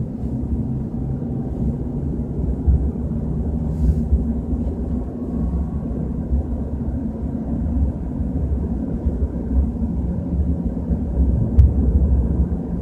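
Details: BMW 320i at 30–40 km/h: continuous low droning rumble, swelling slightly at times; cause unidentified, unconfirmed.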